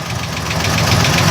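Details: 1980 Chevy at idle: fast, steady light clicking, about six or seven per second, which the owner suspects is the torque converter. Something underneath wobbles badly, and it still clicks after an oil change. Cause unconfirmed.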